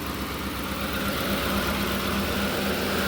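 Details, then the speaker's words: Ford Expedition V8 at idle after sitting: steady low rumble with a faint irregular pulse and only a slight shake, no real engine noises or overheating; listener suspects a weak coil may be misfiring. "But as you can see, motor's not shaking much. Got a little bit of a shake."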